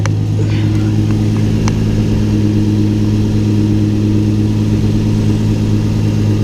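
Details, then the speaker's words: Infiniti G35 after fitting a 370A Autotech alternator with a new, tighter belt; steady, even low hum on a cold start with no belt squeal or chirp, now charging at 14.9V. Normal running. "That sounds a lot better. And we're at 14.9 cold start. So now it's charging."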